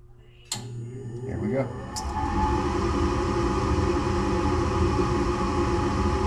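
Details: Furnace after the burner orifices were checked and the flame sensor was plugged back in, following a lockout on a no-heat call: igniter clicks, then burners catch with a soft whoosh and settle into a steady, even roar, firing properly.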